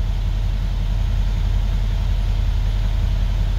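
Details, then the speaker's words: 2015 Mercedes SL63 V8 with 134k km idling after misfire repair work: steady, even low rumble, no misfire. "no misfire Splendid beautiful excellent"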